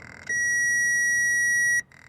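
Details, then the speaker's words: 2004 Toyota Corolla won't start; tester on the starter signal connector gives one steady high beep for about 1.5 seconds while cranking, showing power arrives, so the starter is bad. "so when you uh crank it and you crack it this one needs to have power and if I got power over here then that means that the starter is no good"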